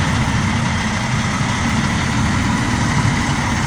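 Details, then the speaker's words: International 2020 semi truck with a no-start problem, started after releasing the parking brake: a steady, even diesel rumble at idle with no knocks, misses or surging; running normally. "release the parking break she fires right up don't shut it off man leave it"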